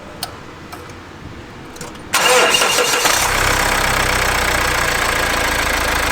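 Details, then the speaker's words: Car returned after engine reconditioning, accessory belt torn: quiet clicks, then engine catches into harsh, raspy idle with gritty edge; alternator pulley stuck and no longer spins, needs new belt and alternator pulley. "Dragos: ... it doesn't really spin, anymore ... Rares: ... seems stuck. Dragos: yes. That's it. So, it needs a new accessories belt and alternator reel"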